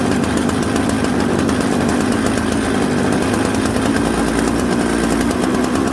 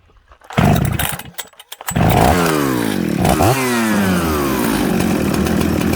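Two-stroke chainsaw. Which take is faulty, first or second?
first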